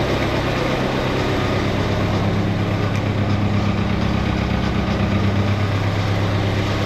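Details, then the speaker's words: '88 Ford Festiva with a Fiesta ST 1.6 Ecoboost, warming up with fuel pressure around 80 psi: steady low idle with a faint uneven pulse that settles only slowly after a rev. Slow idle return, cause unknown, to be checked with HP Tuners. "I'm getting a really slow throttle response here. And I don't know why that is."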